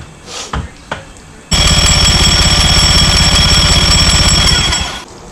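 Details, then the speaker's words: 2005 Mercury Optimax 115 two-stroke outboard, no-start after PCM replacement: starter spins quick and even, about four pulses a second, for 3.5 s with no firing; one plug fuel-fouled, the other two clean; injectors suspected. "Yeah, it's like one plug, it was like fouled. The other two were nice and clean."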